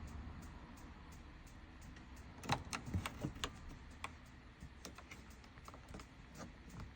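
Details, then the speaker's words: 2006 Adria Twin camper fridge being lit on gas; faint irregular ticking, a couple of clicks a second under a quiet hum, as the igniter sparks before the flame catches; normal igniter clicking. "It's a little little ticking noise in the background as you can actually hear the igniter clicking away in the back."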